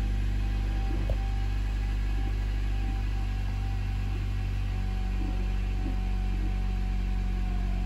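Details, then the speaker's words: 2016 Honda Civic with freshly installed LKQ junkyard engine, first start after adding oil and antifreeze: steady low idle hum, even tone, no knocks or ticks; started with no problem and idles smoothly. "All right, so let's see if it starts. I'm gonna let the fuel pressure build up. Okay, it started no problem."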